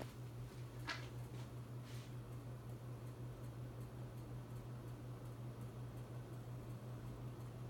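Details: Hunter Infiniti 52-inch bright brass ceiling fan on high speed in a living room: a steady low drone under the faint whoosh of the blades with a couple of light ticks; the fan motor hums, cause suspected, not confirmed.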